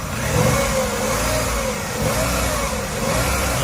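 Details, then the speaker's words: 2012 Chevrolet Aveo, 1600 cc petrol four-cylinder, engine bay untouched and never rebuilt. It starts easily, revs up quickly and drops back smoothly with no knocks or rattles. It runs normally. "สตาร์ทได้งานใช้งานได้ปกติรอบมาเร็วเหมือนเดิมแล้วปกติเลยนะครับ"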